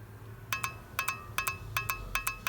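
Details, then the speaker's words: Transmission shift solenoid bench-tested off the car with power applied to its power terminal, plugs disconnected; known-good solenoid gives crisp quick paired clicks, switching properly, unlike the suspect one that made no click. "So it's clicking. So that means it's working, it's activating, it's coming on and off, and it's doing the job."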